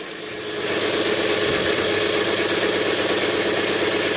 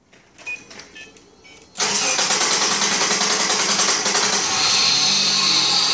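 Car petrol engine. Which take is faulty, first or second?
second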